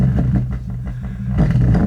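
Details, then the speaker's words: Paradigm PDR10 subwoofer with no power, cause a blown fuse, played with the back off (no tuned cavity): deep punchy bass, loud and steady, no buzz or dropouts; amplifier working. "It sounds like all subwoofers with the back off because there's no it's not there's no tune cavity."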